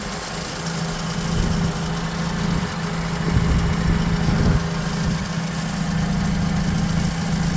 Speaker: До речі одразу можу показати як він запускається побачити на холостих обертах запуск